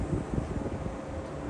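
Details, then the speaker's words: Lakewood P-25 box fan, new in box since 2007, on low after first cleaning and oiling its bearing ports: low, steady whoosh with soft rumble, no rattles or scraping; runs smoothly. "Oh, yeah. Low. Love that sound. This just moves so much air and it feels like it's effortless. So cool."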